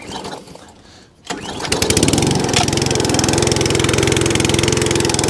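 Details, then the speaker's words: ATCO Balmoral 17 SE cylinder mower, started with choke and throttle, then taken off choke: catches after brief crank and settles into a steady, even beat; runs, drives, cuts and idles properly; normal running. "Off a choke. So that runs, drives, cuts, idles, does everything it should do. So super happy with that one."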